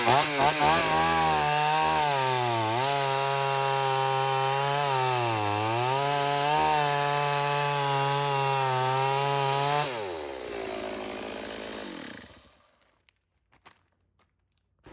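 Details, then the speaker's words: Stihl AV 028 Woodboss chainsaw, previously lean and bogging, after new fuel line and filter, cutting wood without air filter: steady high two-stroke scream sagging briefly into each cut and recovering cleanly; runs and pulls right, may need more tuning. "All right, well, that's good news. We've got the saw running right."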